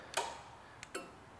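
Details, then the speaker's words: Automotive A/C compressor that wouldn't turn on, clutch activated via relay test tool: sharp click as clutch snaps in, then a lighter tick; clutch coil engaging, so switch circuit path is intact and the relay is now suspect. "and I can physically see and here that the clutch coil is engaging the clutch is indeed working so that tells me right now that the switch circuit path is intact and functional"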